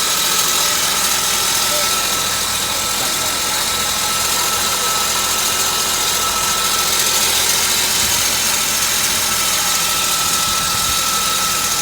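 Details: 1998 Volvo V90 idling with a thin, steady high squeal from the back of the engine near the cam. It was metal-on-metal at first and changed after oil was topped up from low; a valve is suspected, the source unconfirmed.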